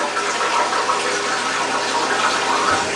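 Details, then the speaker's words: Toilet refills itself several times daily with nobody using it, steady hiss of water running into the tank; phantom refill from leaking fill valve, fixed by replacing it with a Fluidmaster fill valve. "This toilet does this, just automatically refills itself every day, probably multiple times a day."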